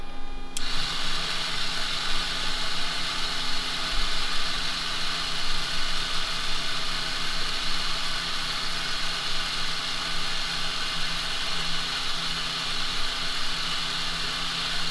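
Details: Servo in restored Bendix MG-1 Central Air Data Computer (jet fighter analog mechanical computer) on bench after switching power supply for more power; even, steady whirring at one pitch with no knocks or stumbles, servo driving normally.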